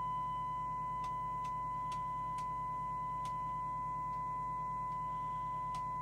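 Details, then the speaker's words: Skiptech TI4000FM CB27/81 CB radio on receive with a signal-generator tone during servicing: a steady high test tone with a harsh, buzzy edge and occasional clicks; the FM detector sounds miles out of alignment. "now then that sounds like the detector is absolutely miles out"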